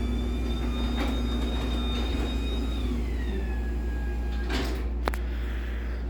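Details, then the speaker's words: LiftMaster 84505R garage door opener, demo unit, running with the door: steady motor hum, smooth falling tone, no grinding; works, kind of quiet, normal operation. "so yeah um I don't know it's I mean it works it's kind of quiet"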